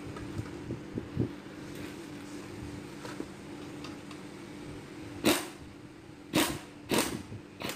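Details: Toyota Corolla A/C compressor, noise began after driving through flood water and grew louder over a week: steady hum with rough rattles and clatters; loose worn compressor pulley bearing, needs replacement before damaging the magnetic clutch.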